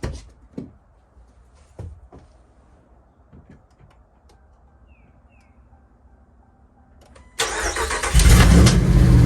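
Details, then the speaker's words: First start of naturally aspirated cammed V8 (HPT cam) after BES Racing heads install, long tube headers, full bolt-ons; quiet clicks, cranks, fires about seven seconds in, settles into strong steady rumble; normal start-up. "damn good. So good. So good. Let's give it some gas. Woo. Sounding tight. Sounds tight, baby. Sounds good."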